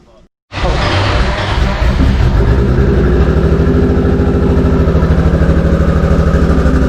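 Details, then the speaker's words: 2JZ inline-six swapped into a Z28: fires up then lumpy pulsing chug with uneven beats, popping, missing and sputtering, running on only a few cylinders (about three); cause not yet found, being diagnosed remotely. "Not necessarily when it's popping and missing and sputtering right now, but it did have a really good deep sound"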